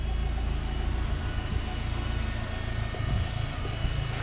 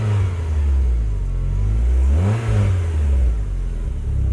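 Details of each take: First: Rover K-series petrol engine at idle: smooth even low rumble, no misses or knocks, slightly boomy exhaust; normal healthy idle. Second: Project car Beatrix: two throttle blips with deep raspy boom then heavy low drone at idle, from a rear back box, possibly original, whose baffles have shaken loose.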